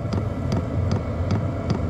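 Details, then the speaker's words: 12-volt diesel heater built into a box, running with the lid off: sharp dosing-pump ticks about every 0.4 s over the steady blower hum; normal, and inaudible with the lid on. "so with the lid off you probably notice you can hear that pump ticking away now"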